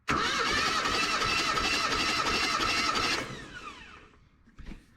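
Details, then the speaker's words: Old truck with 179,000 miles, last tagged 2005, during a compression test: even starter chug at about four beats a second for three seconds. Readings around 150–180 psi across cylinders; compression is good and even, possibly helped by oil in the cylinders. "Buck 55 uh go ahead slick about a good buck 70. cylinders two and three will get you across town cylinders one and four will win that damn drag race baby those are numbers we're definitely not mad at seeing"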